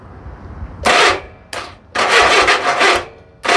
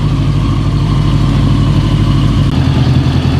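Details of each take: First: 1982 Honda Goldwing barn-find engine moved to parts-bike frame: uneven cranking and coughing bursts roughly every second, it "poofs" but never catches; weak, likely dead battery and starter solenoid due for replacement; cranks but won't start. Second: 1982 Honda Goldwing GL1100 after swapping a bad arcing plug wire: deep, even warm idle, temperature gauge up and radiator fan kicking on partway through; running really good, normal warm running with cooling fan on.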